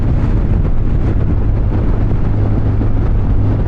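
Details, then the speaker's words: 2020 Honda VFR1200X cruising on a straight, bumpy road after an ECU reset cured previous jerking, knocking and juddering: steady even engine drone under heavy wind rush with no jerks or knocks; normal running. "it is quite bumpy and you can hear in the engine though there's no jerkiness anymore clean"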